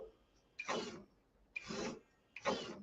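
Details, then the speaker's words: RC truck with raise-and-lower suspension, no body fitted: three short strained whirring bursts as front and rear lift; suspension servos whining under load, owner plans to replace them. "I don't have the body fashioned of course but I hear the servos whining Brandon I'll be glad to get them new servos put in this thing maybe I'll do that tomorrow"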